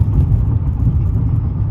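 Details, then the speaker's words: Dodge Intrepid with flashing check engine light and cylinder 1 misfire code after coolant bleeder housing replacement: deep, lumpy, shaking idle with stumbling pulse; cylinder 1 injector connector had been unplugged during the work. "after getting the coolant bleeder housing installed it immediately had a misfire and it's throwing a p 0 201 code which is a a misfire on cylinder one"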